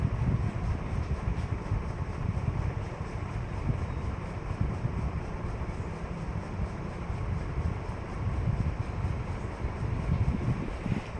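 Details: KDK KY153 ceiling fan, 2003 first iteration: constant low, uneven rumble with faint rattle instead of a quiet hum; noisy running, cause unknown.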